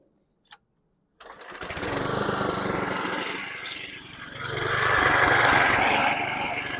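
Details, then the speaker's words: 2011 Toro Recycler 20376 mower after blade brake cable replacement, started before idle-spring tab adjustment, little gas in tank; runs low and unsteady, sagging then surging; low fluctuating idle, carburetion suspected, Seafoam planned. "right now it it feels feels like it or sounds like it's got low RPM so I'm going to do that"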